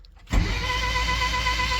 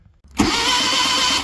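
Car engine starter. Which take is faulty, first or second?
first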